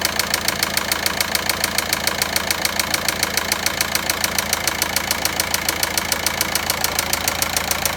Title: Bruit Moteur Passat 1.9 - من اين هذا الصوت فى محرك باسات